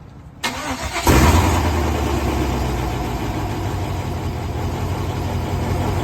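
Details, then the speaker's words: LS-swapped Chevy C10 with newly installed Texas Speed Chop Monster cam, first startup after cam job: starter cranks briefly, engine catches and settles into a deep, choppy, lumpy cam lope; sounded great, normal cammed V8 idle. "Started it. What happened on the first startup? D sounded amazing, didn't It sounded beautiful."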